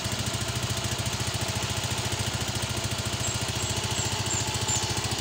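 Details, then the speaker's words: Suzuki Smash 115 motorcycle, revived after months sitting, side carb fitted (suspected worn), warming up at idle: sharp puffing hiss on each exhaust pulse, exhaust pipe leaking through a hole at a poor weld. "singaw yung kanyang tambutso. Ayan yung merong butas. Hindi maganda yung pagka-welding ng kanyang tambutso yung dito sa kanyang exhaust."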